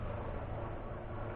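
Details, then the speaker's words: Rockwood 2606WS travel trailer water pump switched on during winterizing, after lines blown out with 30 psi compressed air and bypass set from city water to winterizing; steady low electric hum as it charges and pressurizes lines, sounding normal. "The next thing to do is to turn on the water pump."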